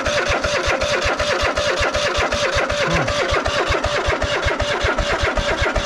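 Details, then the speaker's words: Cub Cadet GT 1554 mower engine that had sat about two years: fires in quick regular pulses, about 2.5 per second, only while sprayed with carb cleaner; fuel starvation, carburetor later found very dirty and full of water. "If it works with the carb cleaner, then it is a fuel problem, which means the line could be clogged somewhere."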